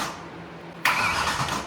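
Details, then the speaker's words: BMW E92 M3 V8 after major engine repairs, first turnover before start via start-stop button: quiet lead-in, then even starter churning with steady rhythm and no grinding or binding; cranking sounds good. "Send it. It cranked. It sounded good."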